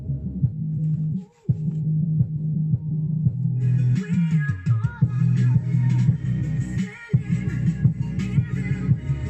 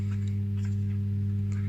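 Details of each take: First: Defender SPK 2.1 speakers after repair of a subwoofer that only hummed: bass-heavy music plays cleanly through the subwoofer, no hum or buzz in quiet breaks; balance knob turned left and right; normal subwoofer playback. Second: Defender SPK LX 2.1 speakers opened for repair: both satellite channels play, but the subwoofer channel gives only a steady low mains hum with buzzing undertone and no program sound.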